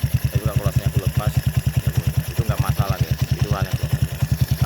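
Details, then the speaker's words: Old Honda Supra X single-cylinder motorcycle with budget bore-up, idling: steady even thumping about three times a second, soft valve tick with no harsh clatter; engine sounds smooth and gentle, valve train healthy. "Halus halus, Guys. Guys, nah suaranya pun enggak terlalu kasar, lembut, ya."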